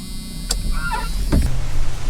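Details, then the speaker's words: 1988 Jeep Cherokee XJ rear hatch washer after cleaning the rear wiper motor's contact with contact cleaner: a few clicks, then the washer pump settles into a steady low hum, working normally. "the rear wiper motor healed the washer works because the contacts are clean"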